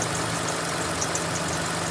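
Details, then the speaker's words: 2005 Kia Sedona, owner suspects a freon leak and no AC: faint high chirps repeating irregularly over a steady idle; owner thinks the squeak is the AC compressor's back pulley, belt a little worn, squeak at idle. "that squeak is probably the air compressor pump. I think it's right down in here behind where the tire is."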